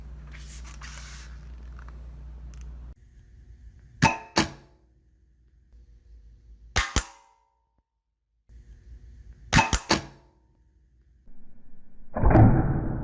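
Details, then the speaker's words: Pulse-Bac vacuum, compared against PulseRam: sharp clacks, mostly in quick pairs every few seconds over a quiet hum. The pulse-valve solenoids are weak and the solenoid bodies move as the valves close, losing snap; the valves bounce. "one of the things I'm noticing about these solenoids is they're weak and when the valves go to close the sewing bodies are also moving so it's losing a lot of the snap that it could be getting"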